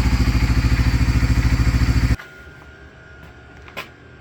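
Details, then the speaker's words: Honda Fortrax 300 ATV, previously a no-start, warmed up after adjusting idle RPM and fuel-air mixture: even, steady thump about three and a half beats a second, smooth and regular until shut off; clean, healthy idle. "Alright, now that we have that taken care of, that thing's running sweet. Just did a little adjustment on the RPM side, and I did a little adjustment on the other side here for fuel air. It's working awesome now."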